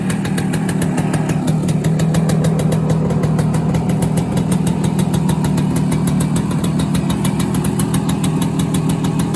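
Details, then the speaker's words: 1971 Kawasaki G3SS 90cc two-stroke with a new engine not yet broken in (about 40 miles left), oil injection turned up, E3 plug, non-ethanol 90-octane fuel: a quick, even burble with crisp regular firing and no misses. Normal idle. "it runs really really well"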